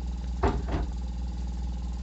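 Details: Samsung inverter refrigerator compressor, driven by the inverter board, which monitors U, V and W phase voltage to control compressor speed; quiet, steady low hum with a couple of brief bumps near the start, then even running; compressor sounds normal.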